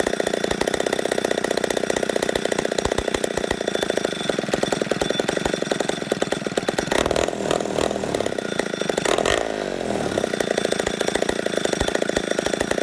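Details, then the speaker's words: Poulan 71A chainsaw after carb work, long unused: a two-stroke idle that wanders and dips instead of holding steady; owner suspects an intake leak from dried-out crank seals and plans a crankcase pressure and vacuum test. "it's right pretty good it sounds like I might have a little bit of a intake leak it's probably the crank seals been sitting so long"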